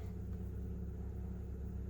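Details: VW Passat B5 1.8 Turbo just started cold after an overnight sit, coolant about 1.5°C, low battery voltage: low steady rumble with an even idle beat and no misses or knocks; a healthy, smooth normal idle.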